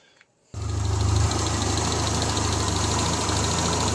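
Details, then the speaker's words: 1975 Triumph Spitfire after smog delete, valve adjustment and a ballast resistor wiring fix, with timing set by ear. Steady idle with a faint, occasional stumble: a slight misfire, suspected to be carburetion, with a carb rebuild pending. "there you go turn like a little kitten just a little slight miss it might be carburation like I said I got to rebuild it"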